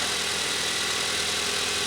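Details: Car first started in almost three days during a battery test, hood open, alternator charging about 14.8 V; steady, even, hiss-heavy idle with no knocks or misses; engine running smoothly, normal idle.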